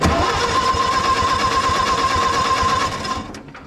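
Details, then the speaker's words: Co-op E3 tractor (about 1947) after years of sitting, power to coil, pushing oil: starter whine over even cranking near three beats a second, then stops; turns over but never catches, spark at plugs still to be checked. "we got to clean our valve cover there we go we're spinning that's something got power to our coil so that's half the battle"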